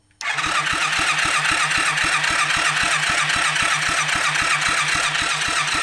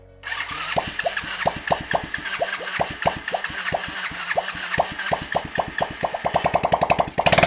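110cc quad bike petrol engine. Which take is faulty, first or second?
first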